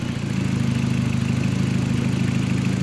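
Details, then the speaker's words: VW Mk4 petrol engine after battery relocation; the owner expected it to run rough because of a vacuum leak, but it idles steady and low with an even pulse and no knocks or misses. "that's running good night yeah that's pretty good"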